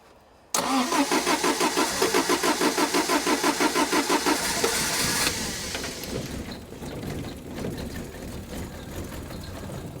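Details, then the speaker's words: 1975 MG Midget 1500 with a starting problem, spark plug tester fitted after the rotor arm was reset. It cranks, catches and runs lumpy with missing beats while the spark weakens off, a misfire from weak spark; the old coil is tried next. "it's sparking still a bit lumpy though feel it yeah that could be because the uh I'll bring the idle up a bit whatever you've done she's not Happ that spark is weakening off"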